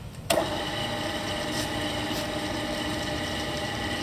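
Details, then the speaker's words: Bridgeport 1 HP vertical milling machine (9"x42" table, step-pulley head, 80–2720 RPM, wired 220V), head rebuilt with all new bearings, running in low range: steady even hum with no gear chatter or knocking; normal running, chatter occurs only in high range. "can hear in this range, you don't hear any of that noise at all. It's just gear chatter for the high range."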